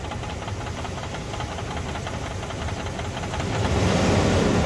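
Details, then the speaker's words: 1999 Dodge Durango SLT, sitting about 14 years, after exhaust manifold reinstall and plug wire fix: fast even knock, about four a second, louder with throttle; owner suspects something near the flywheel rather than the engine, hopes it's thin oil and a worn motor. "now that it's quiet listen to that sounds like it's inside it I don't think it's the engine I get something inside uh inside here um by the flywheel I think I hope"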